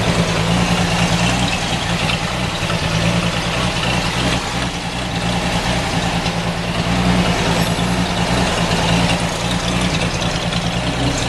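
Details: 1946 Chevy 2-ton cab-over with 235 inline six, first run in years after a head rebuild fixing two stuck exhaust valves: deep, steady idle, even beat, no misses or knocks, all six cylinders firing; healthy.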